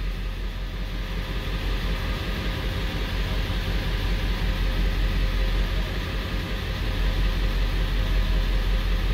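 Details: 1999 Ford 7.3L Powerstroke diesel pickup with P1280 startup code: deep, even idle with a steady low rumble and no misses or knocks after cranking, with good readings, no service engine soon light or DTCs; ICP sensor, about three weeks old, judged lazy.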